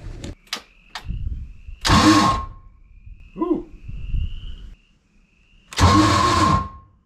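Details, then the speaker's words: MerCruiser 7.4 L 454 big-block V8 marine engine, sat over a year, cranking: two harsh whirring, grinding bursts with no even cranking rhythm; the starter isn't meshing cleanly, suspected stripped Bendix. "well that doesn't sound good that's hideous that sounds like completely stripped bendex"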